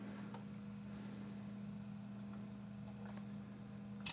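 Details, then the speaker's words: Sump pump test after water was poured into the pit from buckets: the pump kicks on with a steady low motor hum for about four seconds, no rattle or surging, and the water-level alarm stays silent; normal operation. "so let's put some more in here probably to take a third oh actually there it goes you can hear it sump pump"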